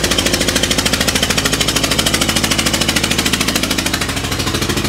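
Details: Renault 5 engine after a loud bang and major power loss: loud rapid chuffing, about three sharp puffs per second over the engine beat; a spark plug blew out of its hole.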